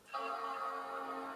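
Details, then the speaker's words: PowerBook G4 Titanium bought for £1, previously stuck at the Apple loading screen; after a Shift-Control-Option-Power reset, the hard drive is heard, then a single clean sustained startup chord fades out; normal startup chime, machine powering on. "There we go. We've got a bong now."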